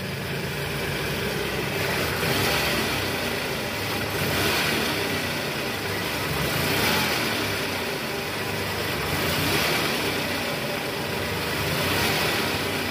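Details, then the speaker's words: 2010 Toyota Camry 2AZ-FE, 127,000 km, heard from the side after the crumbled balancer shaft was replaced. A steady, even idle with no rattle, knock or grinding; the engine now runs smoothly and normally. "Oke sip suara mesinnya udah normal guys jadi memang penyebabnya dari balancer shaft yang hancur"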